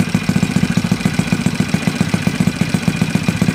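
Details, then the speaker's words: Yamaha Mio Sporty 180cc build, 59 block, 50RT big-valve head, 1.5 pin, engine on stand before chassis install: steady even idle with quiet regular firing pulses, no knocks; quiet, good idle. "Yan na guys, okay naman. Maganda naman yung under nya. Tahimik naman, tsaka maayos yung minor."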